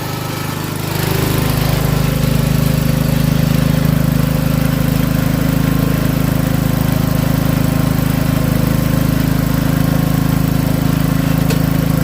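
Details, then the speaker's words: Rototiller small engine with updraft carb, long unused, running after a little more fuel was added: steady even mid-pitched drone, no misses or knocks, holding speed cleanly; running healthy. "all right here we go here we go seems like we finally got it happy"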